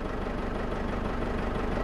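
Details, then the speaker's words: 2008 Ford Ranger 3.0L turbo diesel (hard starting, black smoke) idling on three cylinders with number two injector disconnected: uneven, lumpy beat with one cylinder dead, but smoke clearly reduced, pointing to that injector. "all right right now the car is only running on three cylinder and i can already see its improvement guys"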